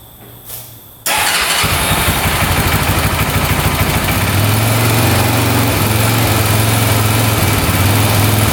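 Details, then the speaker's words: 2004 Honda 400EX quad, just revived with valves found correctly set: engine catches and runs with a fast, uneven knock about three per second over a lumpy idle that won't settle or rev out, no smoke; knocking, cause unknown. "So far, no smoke, but it sounds like it's knocking pretty good, doesn't it? Doesn't sound the greatest."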